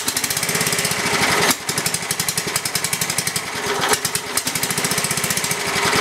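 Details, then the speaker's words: Briggs & Stratton 11 hp flathead (model 25), unrun for a year, cold after 30s°F night, on choke with carburetor adjusted richer: fast even single-cylinder popping with two stumbles where it nearly dies; rough cold running. "it's pretty cold okay adjust the carw a little richer"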